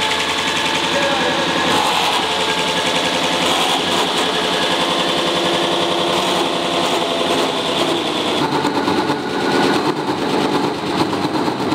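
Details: Big lathe deep-drilling hard steel with a coolant-through tungsten carbide drill. A harsh, fast rattling grind turns rougher and more chattering midway as the upper support roller bearing fails, having been run too fast; sparks seen.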